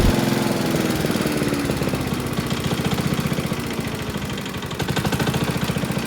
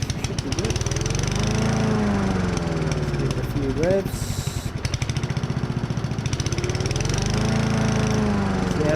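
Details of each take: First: Honda self-propelled lawn mower, about 590 hours, running with a heavy steady knock like a big-end bearing, from a cracked blade carrier disc wobbling on the crankshaft; fix is replacing the disc. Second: Honda self-propelled lawn mower engine running steadily with an even, rapid putter after repair of a loud knocking noise, blade reinstalled and bolt tightened; no more knocking.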